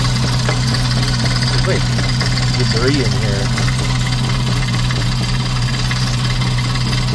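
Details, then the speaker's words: VW 2.5 idling with the oil cap removed, after which it runs strangely; steady idle with a dull, irregular knocking or banging riding on the engine note, cause not pinned down. "What the hell is going on with this thing? Seen anything like this? It's like knocking or banging or something."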